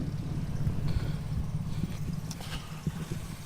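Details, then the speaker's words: 1936 Plymouth Roadster at idle during a pre-purchase inspection, foot off the accelerator as it warms up: low, lumpy, wavering idle, engine shaking pretty good; rough idle, cause not confirmed. "I'm gonna go ahead and take my foot off the accelerator here now and see it's doing a little better. Okay, so she's shaking pretty good."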